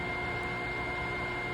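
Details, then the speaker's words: MTA TaeT 051 air-cooled 4.5-ton industrial water chiller at startup: once the snowflake indicator goes solid the pump kicks on with a steady, even hum and constant whirr, no rattles or surging; running normally. "Once this indicator goes solid, we can hear the chiller kick on its pump, and we're going to set the temperature here."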